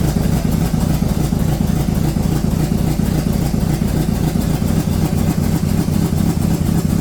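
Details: Rebuilt Corvette V8 on its first start after valves stuck open from rocker preload were fixed by backing rockers off 3/4 turn: fires and runs with an uneven, lumpy, stumbling beat; rough running, something still off, more fuel suspected.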